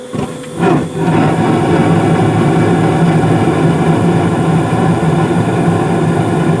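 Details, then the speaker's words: Carrier furnace's first startup of the season, with the zone dampers possibly clicking as two zones open; a brief clunk, then the inducer spins up and settles into a steady hum as the burners light: normal startup. "so you may hear a couple of clicks from the zone dampers as I'm turning this on because I'm gonna turn on one zone and then turn on the other"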